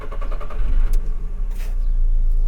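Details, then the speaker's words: VW Fox 1.4 naturally aspirated petrol engine, owned six years, idling with bonnet open and no noise-reduction cover; low, smooth, quiet even hum with no knocks or ticks, no oil burning. Normal idle. "can you hear it it's a very silent engine and it's it runs very very smooth no oil burning very cheap to run"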